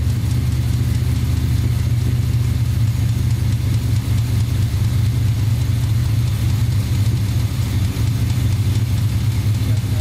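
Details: Small-block Chevy 350 with a spun No. 3 rod bearing, confirmed on teardown: steady deep idle with a dull knocking buried under the rumble, constant throughout; rod knock.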